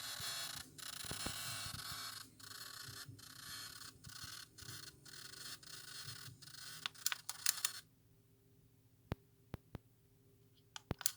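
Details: Philips DCC134 portable DCC player, tape path cleaned and worn belt replaced after arriving dead: hissy mechanical rushing cutting in and out unevenly, then sharp isolated clicks and scraping from the tape mechanism; cause unknown.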